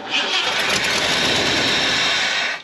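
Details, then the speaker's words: Ford F250 that sat disassembled for years, new distributor fitted; engine catches, runs ragged a few seconds, then cuts out: starts and dies, can be feathered; suspected major vacuum leak, also exhaust leaks and possible bad ground, unconfirmed. "It starts and dies, starts and dies. You can feather it a little bit."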